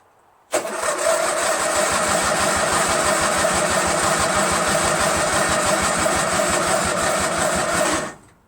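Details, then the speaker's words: Craftsman LT1000 lawn tractor, freshly rebuilt Briggs 46 opposed twin on break-in oil, first start on choke, fuel shooting out: runs about seven seconds at uneven chuff then dies abruptly; owner suspects no or bad gas, carburetor needs cleaning. "But I have a feeling that maybe gas is not getting in there, or that gas is so bad it won't ignite. And the only reason why it started in the beginning was it was running off the carb cleaner."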